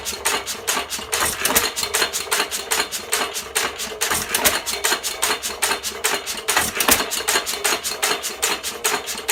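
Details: 1917 Fuller and Johnson hit-and-miss engine, first run in ten months, primed: sharp regular chuffing bangs about two and a half per second, steady and even; running normally.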